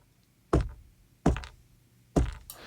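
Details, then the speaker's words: Tesla Model 3 headliner rattle after windshield replacement: hand taps on headliner give quick light plastic rattle from two broken clips (likely camera/mirror harness clips) loose inside, also rattling over bumps or when closing sun visors; piece retrieved by pulling headliner edge down. "There were two broken clips in the headliner that were rattling around."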